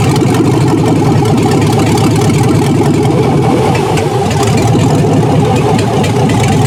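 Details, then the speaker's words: 2002 Chevy truck 6.0 L V8 junkyard engine pulled from mud hole, test run on stand with test harness: loud even deep rumble holding steady speed, no knocks or misses; normal engine running. "looks like it's going to run."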